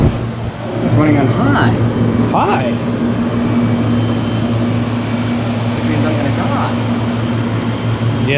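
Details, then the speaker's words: 1993 Comfort-Aire 18,000 BTU window heat pump on 220 V, heat mode, blower wheel on high: steady low hum with an even rush of air, no knocks or rattles; normal running. "It's now running on high. There's a little blower wheel in there."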